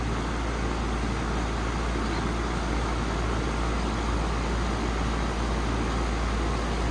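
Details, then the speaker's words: 2017 4-ton air conditioner with LG scroll compressor, suction line cold and sweaty, liquid line warm: smooth, even whoosh with low steady hum, no clatter or surging; compressor running normally. "Love the nice LG scroll sound."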